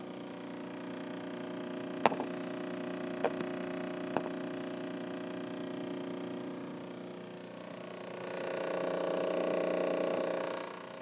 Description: Loud vibration noise from brand new (less than one week since delivery and installation) Samsung French Door Refrigerator bought at Sears Appliance Store. Vibration lasts for anywhere from 1/2 hour to hours at a time.